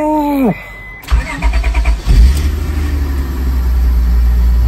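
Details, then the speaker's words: 1999 Honda Odyssey after fuel pump replacement: short pump hum, a few clunky cranks, then catches and settles into smooth, steady idle without the earlier stutter; failing fuel pump fixed. "she has a clean Idol before she was stuttering a little bit on her idle like what's that about now says a good clean Idol"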